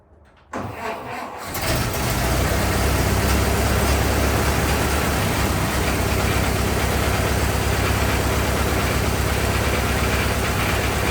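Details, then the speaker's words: 1927 Ford TT truck, new buzz coils, switched to magneto ignition; catches after short crank, settles into steady even idle, no misses or knocks; runs just as smooth on mag as on battery, normal idle. "so that's on mag run smooth on mag too just as smooth as battery"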